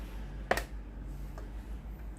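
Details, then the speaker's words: Tefal GV9565E0/23 steam iron with no steam output: the water solenoid valve coil is tested directly on mains via a test lead. One sharp click over faint hum shows the coil pulls in; the valve is only about 50% confirmed good and still needs inspecting inside. "There is a click sound from the water valve. After plugging it in , if the test makes a loud sound, it means that the water valve is about 50% good."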